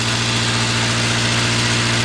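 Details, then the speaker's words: 1980 Triumph Spitfire 1500 started on a freezing cold December day, Weber two-barrel carburetor replacing the rebuilt side-draft carburetor; after revving to 2,500–3,000 it settles into a smooth, steady idle with an even low pulse and no skips, normal idle. "good for a freezing cold motor to go up to 2 500 or 3 grand well if it'll sit there and idle well it seems like it's going to"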